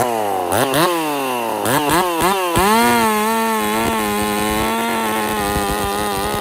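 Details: Husqvarna 50 Partner 5000 hybrid race chainsaw, first cuts after a rebuild with a machined piston taper, in wood too big for the bar: sharp revs dragging down under the cut, then a strong steady scream. Normal cutting.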